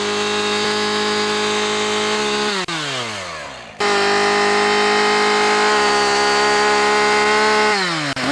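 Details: Husqvarna 575XPG chainsaw after clutch repair, revved outdoors: two-stroke screams to full revs, holds steady and drops back cleanly, no misfire or bogging, chain oiling well; normal revving.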